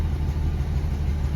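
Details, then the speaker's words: 1982 Dodge W150 slant six 4x4 with Weber carburetor fitted by previous owner: low, lumpy idle with an uneven beat as one cylinder drops out; misfire, cause not yet found. "i don't know if you can hear that there's also a cylinder dropping out"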